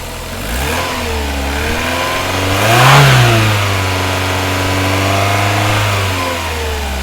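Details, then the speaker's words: Vauxhall Cavalier X20XEV after replacing the exhaust manifold gasket and rear silencer: rev climbs smoothly, peaks around three seconds and settles to an even hum, with no ticking or exhaust puffing; normal revving. "um engines running as sweet as they're not at the minute no more ticking that's gone that was a cold start"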